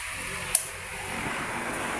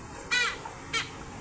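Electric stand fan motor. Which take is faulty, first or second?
second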